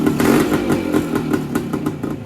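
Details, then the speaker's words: 1970 Yamaha DT1 250 Enduro two-stroke, about 55 years old, running after cleanup and throttle/oil-pump cable adjustment: crisp ringing crackle, revs rising and falling freely with throttle, fairly even firing. Normal running. "I think She don't sound half bad either."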